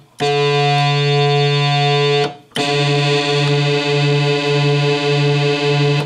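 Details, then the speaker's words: Oberheim OB-SX synth voice card that had been disabled via DIP switches for sounding bad, recorded before restoration: two sustained notes with a wobbling, pulsing low tone that won't hold steady. "Hey so you can hear there's definitely something something up with that one and rather than fixing it I guess it's just a bit disabled"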